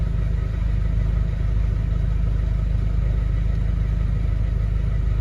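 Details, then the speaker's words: 2011 Mercedes Vito 113 CDI, OM651 diesel, idling cleanly with steady even clatter and no stumbles; fault appears only after revving, when it returns to a rough idle and stalls; owner suspects faulty fuel pressure control valve. "uh as you can see here car is idling fine no issues uh we'll do this all day long without without a problem"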